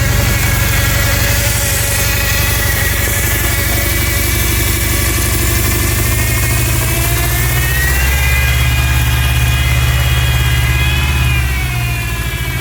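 Engine idles with a slightly uneven beat and a thin whistle that wanders in pitch; points to an intake vacuum leak.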